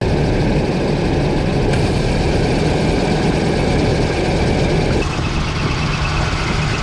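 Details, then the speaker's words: 1995 Nissan D21 Hardbody, about 141,000 miles, idling with a steady high squeal or whine that grew louder with the A/C on; belts were replaced first, but the cause was a seized fan clutch. "we assume the reason for the squeal was a belt so we were moving belts and we noticed the fan was seized up"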